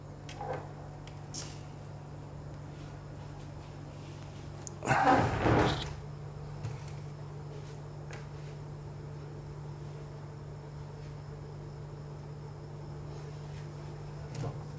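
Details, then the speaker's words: Dell laptop after replacing the 3 V CMOS battery: powers on fully with only a steady low hum and a brief knock; the continuous beep is gone, starting normally. "तो देखिए दोस्तों system पूरा on हो चुका है और इसमें से कोई बीप की साउंड नहीं आ रही है"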